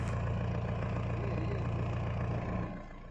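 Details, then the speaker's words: Mahindra Bolero Pickup diesel after immobilizer unlock and key programming, restarted with key removed and reinserted: even, steady idle about three and a half beats a second, no misses or knocks; starting problem resolved, healthy running. "तो starting में अभी कोई problem नहीं है।"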